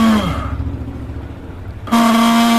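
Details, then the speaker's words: Multi-speed mixer grinder motor switched on before repair: screams very loudly, winds down, then restarts with harsh high whine and hiss, caused by worn carbon brushes, fixed by replacing brushes. "अश्लील mixer grinder को on किया यहां उन्हें बहुत ज्यादा आवास हुं"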